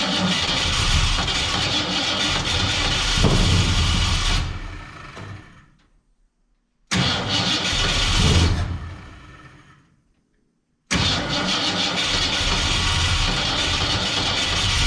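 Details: 1967 Ford Fairlane, not run in 7 years: engine catches and roars briefly, then sags and dies, twice before a third run. Won't stay running; owner unsure whether it is fuel, carburetor needs a rebuild, and he suspects the valves.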